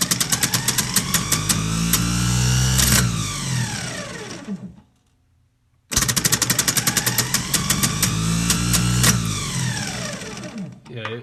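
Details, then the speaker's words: 1984 GMC Jimmy 350 starter, bench test: spins up with a fast, uneven rattling clatter then winds down, twice; pinion gear bouncing and jumping instead of running smooth, starter judged shot. "we will zoom in and show you what it's doing where the gear action is happening and it's not smooth it's bouncing everywhere jumping all around"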